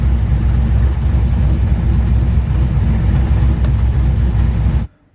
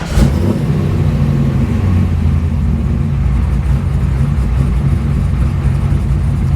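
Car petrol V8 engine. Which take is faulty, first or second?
first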